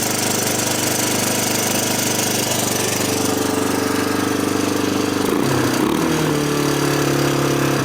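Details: 1987 Honda TRX250 Fourtrax ATV at first start after sitting for years, with no air filter and the intake boot disconnected. Very high, fast idle with a tinny metallic clatter over the single's beat; suspected vacuum leak or carburetor idle adjustment set too high.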